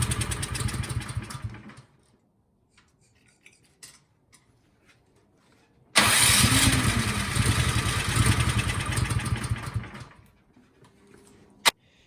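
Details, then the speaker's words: Cub Cadet 528 SWE snowblower that would not start, fresh gas, choke on and primed: catches and runs rough for a few seconds, about three beats a second, then dies; carburetor problem suspected, to be cleaned. "right something definitely carburetor related so let's pull this off let's take the carburetor out and give it a cleaning"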